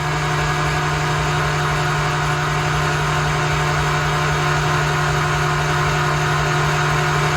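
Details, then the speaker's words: Datsun 280Z GT2 race car, first crank after many years laid up, spark plugs out and ignition off: even, steady starter whirr with no catches or grinding as the engine spins freely and mechanical oil pressure rises toward 62 PSI. Normal starter cranking. "Let's hit the starter and see what happens. [Music] There we go. The oil pressure is starting to come up."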